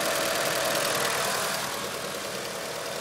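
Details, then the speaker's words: 1996 Mitsubishi Eclipse GST, 4G63 turbo, bone stock: fast, even light tapping about four a second over steady idle, growing louder then fading, usually gone once warm; owner suspects lifter tick, not confirmed. "I mean as you can tell in the video it it gets loud a little louder it gets a little louder and then goes away uh I'm assuming it's a lifter tick"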